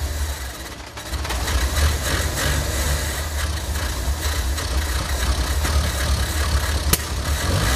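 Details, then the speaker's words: Engine sat over two years unused, before carburetor cleaning: idles unevenly, surging and sagging, stumbling and choking as if fuel-starved; gummed carburetor, to be cleaned with fuel-line and spray cleaner products. "vamos rodar e vocês vão ver como é que ele funciona quer dizer nós conseguimos funcionar um pouquinho ver como ele funciona como ele como faz o motor em se engasga pra caramba"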